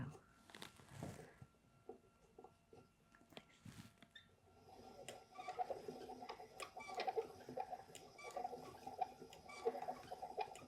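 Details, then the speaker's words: Restored 18th-century travel spinning wheel, hand-cranked while spinning flax: soft creaks and squeaks repeating about forty times a minute in an even, steady rhythm; wheel running normally. "But even with her creaks and her squeaks, you can hear the kind of rhythmic sound as she goes round."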